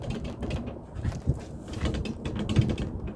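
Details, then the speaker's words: Fabric-covered aircraft left wing, pushed by hand: dry irregular clicks and creaks from loose rivets in the drag/anti-drag strut cross tube; fabric cut open to reach the loose rivet. "it sounds like right here some rivets have come loose and i really really hate the idea of cutting the fabric on that wing"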